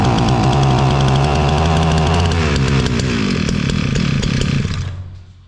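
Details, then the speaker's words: Bolat Atak two-stroke brush cutter that ran last year but not this year, now running: high, steady two-stroke buzz held at full throttle, then dying away as it shuts off; engine running properly. "Evet, motor çalıştı. Gaza basılıydı böyle."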